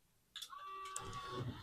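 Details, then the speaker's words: Pioneer CLD-97 LaserDisc player at power-on, before repair: the pickup keeps whirring and chattering without settling, constant laser movement noise; constant seeking, fixed by replacing IC804 (LA6510) on the main board. "And there's just constant noise of laser movement."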